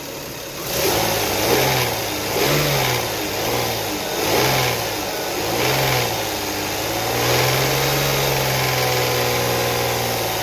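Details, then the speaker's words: 2002 Toyota Sienna petrol engine, 160k miles, blipped repeatedly. A light rattle that seems to come from the top of the engine rises over the engine note with each rev, only when revved; the cause is unknown. "Hey everybody, this is 2002 Toyota Sienna, and it's got a rattling noise that's coming from. It sounds like it's coming from the top of the engine."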